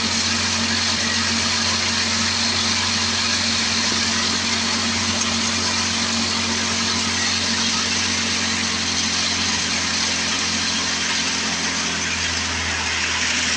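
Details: Old Craftsman 24 snowblower with Tecumseh engine, first run after sitting for years, choke returned to off: even, steady small-engine drone at constant speed with no surging or misses; running well, normal running.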